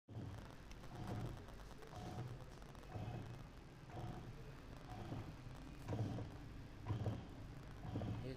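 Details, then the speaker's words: Panasonic washing machine on spin: a thump and rattle about once a second from a faulty mechanical gearbox leaking water, with bad dampers causing heavy spin vibration. "ये इसके mechanical gear की आवाज़ लग रही है। हम इसको गियर को नीचे से चेक करेंगे। जो कि हमें नज़र आ रहा है कि इसके गियर में से पानी की लीकेज भी है और गियर इसका ख़राब है।"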